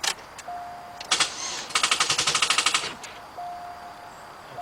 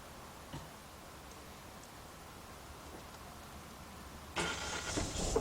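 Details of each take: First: 2006 Chevy Cobalt 2.2, customer complaint of dragging crank and sometimes no start, battery in trunk, cause (alternator, starter or battery) not yet found: starter grinds through lazy, uneven chugs about three per second; slow cranking. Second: 2006 Chevy Cobalt 2.2 with a slow-crank, sometimes no-start complaint; battery 12.66 V before cranking. A short crank catches quickly and settles into a smooth, steady idle. Charging reads 14.4 volts, so the alternator is fine; normal start and idle.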